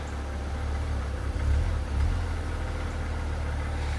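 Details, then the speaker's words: BMW E90 330xi with 140k miles, hot, hood open: a warm idle that surges and settles back a couple of times in a few seconds, a hunting idle; a possible cracked valve cover is suspected, with a smoke test planned. "I can hear it hunting pretty good, huh?"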